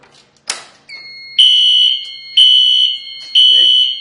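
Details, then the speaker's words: Fire alarm panel demonstration: a pull station is pulled down, giving a clicking pull then a piercing high tone in three one-second-spaced bursts, the alarm sounding in temporal pattern rather than steady. "that tone you're going to end up having over there, but in a voice. Remember I was doing steady? It's going to do temporal."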